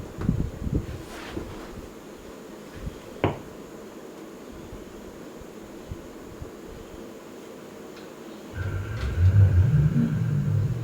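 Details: Sega Saturn during a Sophia/VA0 parts swap, set to CD mode with plugs possibly fitted wrong, at power-on: a few faint clicks, then a low buzzing hum with a thin steady whine. There is no animated logo, suggesting it cannot find the CD drive; cause unknown.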